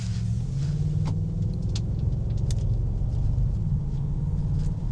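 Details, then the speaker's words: 4.2 L V8 Audi (~80,000 mi) pulling away under acceleration past ~2,000 rpm: deep, strong, even low roar with no misses or knocks; normal healthy exhaust note. "A nice deep roar. Very soulful. I love V8s. You really can't beat a V8, can you?"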